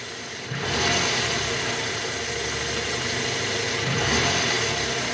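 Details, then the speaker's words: 2009 Toyota Harrier, 2AZ-FE 2.4 engine, in R with the AC on after replacing a worn balancer shaft: even idle with light throttle blips and fan hiss; the earlier rough noise from the oil pan area is gone. "Netral masuk R oke udah enggak ada bunyi kasar guys"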